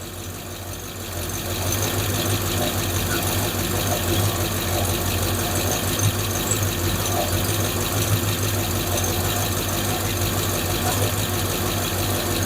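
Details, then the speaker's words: 5.7 Eagle Hemi V8 after replacing the lifters, exhaust just reinstalled; steady idle with a light, fairly regular tick about three times a second; lifter tick gone, remaining tick is an exhaust leak. "Well, I'd have to say the tick is gone. It's just I got an exhaust leak. That's what we're hearing now."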